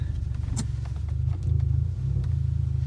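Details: Car while driving, with check-engine light on and power steering lost: a deep droning rumble with an uneven throb about four times a second, sounding like rubbing.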